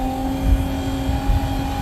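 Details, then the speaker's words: Inexpensive RV macerator pump (about 12 gal/min) draining black tank: steady quiet motor hum with constant tone and gurgling lows as tank empties; normal pump running. "azed at how quiet it is a lot of people said the expensive ones are loud and these cheaper ones run much better and much quieter can hear it tearing through the toilet paper and stuff other stuff"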